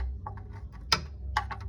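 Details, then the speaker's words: 2007 Daewoo Matiz engine at low idle, starter replaced two weeks earlier: light, uneven ticking over the rumble; first thought to be an alternator bearing, now traced to the lifters clattering as if running without oil. "pero ya observando Bien escuchando bien el ruido me estoy dando cuenta que que el ruido proviene de las punterías escucha así como como cuando ya trabaja sin aceite"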